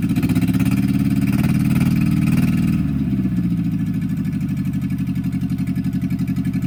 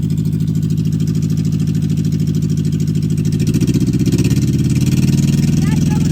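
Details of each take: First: 1964 MG Midget Mk II after 30 years sitting outdoors: brief rev settles into lumpy, uneven idle about four beats a second; rough running from carbs with stuck plungers, one stuck almost all the way up. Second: 1964 MG Midget Mk II after 30 years sitting, about 38 psi oil pressure, revved: steady, even low exhaust rumble climbing smoothly, no knocks or misses; started surprisingly easy, nasty carbs still need rebuilding.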